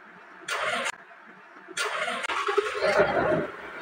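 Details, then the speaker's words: Newly overhauled Mitsubishi 6D15 generator diesel engine, first start after oil check and battery connection, ignition hot-wired for lack of a key. Two short cranking bursts, then it catches and runs steady and even with no misses or knocks; easy, healthy start. "kita niyo may spark na naman kasi nga nakadirekta nga talaga yan pero ang dali lang umandar nito mga boss"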